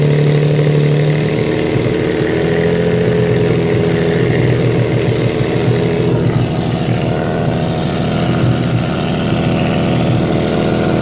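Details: Exhaust leak at idle: an uneven, low puffing chuff riding over the steady engine note.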